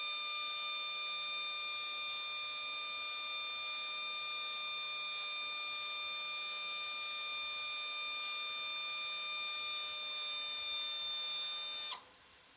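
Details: UGOT Apollo DIC C5 multisampler valve: a piercing, steady high-pitched screech for about twelve seconds, then an abrupt stop, while it initializes and switches inputs during Clean Valve in the software.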